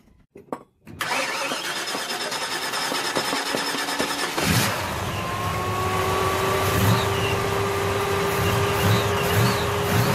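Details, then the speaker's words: 1966 Chevelle Malibu, 327 small-block V8 with double hump heads, small cam, headers and dual Magnaflow exhaust, after adjusting very loose rockers: brief crank, then a smooth, even run with no top-end rocker chatter; quiet valvetrain. "so we got all the rockers tighten up a little bit adjusted out they was thrilled real loose and a couple kinds of loose"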